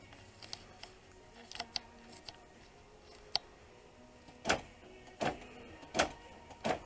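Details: 2005 Dodge Grand Caravan sliding-door power lock actuator, replacement fitted with the correct driver's-side arm: four crisp, evenly spaced clunks less than a second apart, each a clean lock stroke without grinding; the actuator works properly.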